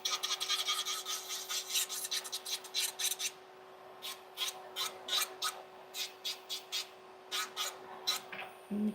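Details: Young Mills nail e-file, with the bit working around the cuticle: thin steady motor whine with soft raspy strokes as the bit touches the nail; file running normally.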